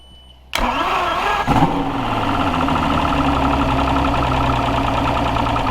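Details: Two-stroke outboard that had sat, just fitted with a new fuel injector: cranks briefly, catches and settles into a steady, even idle with a faint crackle; a tracker valve leak was found afterwards.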